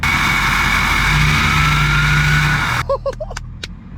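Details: Ford 6.7L Powerstroke diesel just after KC stage 2 turbo install and tune, first start: strong even diesel roar on a free rev with clean turbo whistle, dropping back smoothly; sounds healthy.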